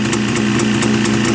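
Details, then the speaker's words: Jawa two-stroke motorcycle just started: crisp, even idle with a light steady pop and a soft hiss from the carburettor, which indicates the carburettor and piston are set up correctly; healthy running. "И вот это вот шипение, это происходит в самом карбюраторе тогда, когда все правильно, в поршневой все организовано."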